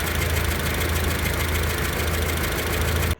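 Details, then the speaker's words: Renault Logan 1.6 L petrol engine misfiring at idle; rough, deep, uneven thrum with changed engine sound and excess vibration, with cylinder head removal as the last option. "सबसे पहला लक्षण यह कि आपके engine का जो sound है वो चेंज हो जाएगा कुछ इस तरह से।"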